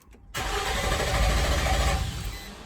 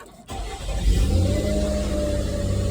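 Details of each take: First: 2006 Nissan Xterra cranks but won't start: steady cranking for about two and a half seconds with no firing; failed valley cover gasket let oil into plug tubes, shorting ignition coils and blowing 30 amp ignition fuse. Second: 2006 Nissan Xterra, crank-no-start from ignition coils shorted by oil from a failed valley cover gasket that blew the 30A ignition fuse: after the coils are reconnected, it cranks, catches within a second and revs smoothly with no misses; normal start.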